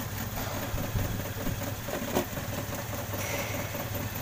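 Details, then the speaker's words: Toyota Kijang Krista 5K/7K engine at idle: low uneven idle with irregular stumbles, a misfire with loss of power; pulling plug wires traced it to a cracked spark plug. "Hai Bisa kencang item ya alurnya agak pincang nih"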